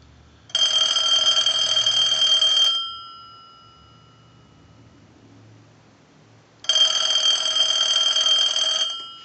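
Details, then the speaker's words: Bell South clear Lucite Trimline telephone, ring cycle sent from a line analyzer with the neon bulbs flashing: two bright warbling bursts, about two seconds on and four off. Normal ringing. "so we'll send a ring cycle and you can clearly see the neon bulbs it's a nice visual effect"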